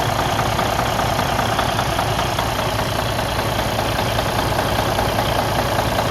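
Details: Freightliner Cascadia DD15 diesel idling with a regular knock of two or three a second beneath the clatter; internal engine problem.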